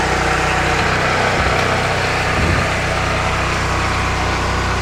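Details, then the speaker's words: New FIRMAN P03501 3550 gas generator just started on first pull after unboxing, no load: small single-cylinder engine steady even constant speed, no knocks or misses; normal running. "So turn it on, choke on, that on, and then you just pull it, and we'll see if it actually starts. That was the first pull ever."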